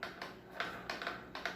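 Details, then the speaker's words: Marble saw (serra mármore) without a disc, shaft turned backward by hand, brushes contacting the commutator: irregular light clicks, a few per second, like a bicycle ratchet; normal ratchet clicking, nothing wrong. "Ó gira mas para aí para você ver ó e o barulho da catraca quando ele gira ao contrário que faz o barulho e as escova o contato das escovas param catraca ao contrário"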